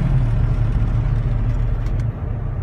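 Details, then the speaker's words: Vehicle on test drive, also misfiring on cylinder 8 with bad injectors: deep steady drone and rumble, dash shaking under throttle, disappearing when the throttle is released; driveshaft fault suspected. "it completely disappears when I let off the throttle. I'll make another video showing the drive shaft when we get underneath it, or maybe I'll stop here in a minute. But I know there's something wrong with the drive shaft."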